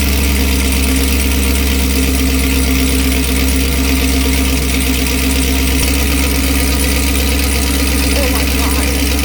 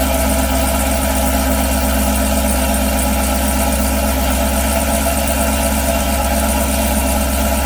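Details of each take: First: 2018 Chevrolet Camaro ZL1 with NPP valved exhaust, cold start idle with one muffler removed and set to touring mode: a very loud, deep, raw, unmuffled exhaust drone. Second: 2018 Chevy Camaro ZL1 after installing a Corsa anti-rattle spring kit on the NPP valved exhaust: deep, steady V8 idle with the exhaust valves open, even pulses with no rattle or buzz; sounds healthy.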